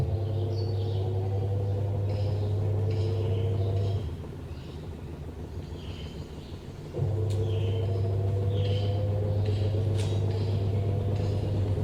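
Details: IFB top-load washing machine: steady low hum with rhythmic thumping about four times a second, pausing midway then resuming; knocking noise, cause unclear.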